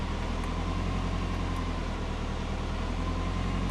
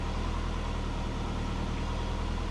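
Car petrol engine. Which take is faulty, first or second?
first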